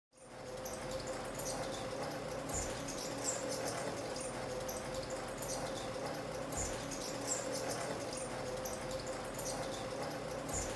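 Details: F-MY14S ceiling fan hums steadily, with sharp high squeaks every few seconds from dry, worn bearings; repaired by replacing the capacitor and bearings and cleaning the fan.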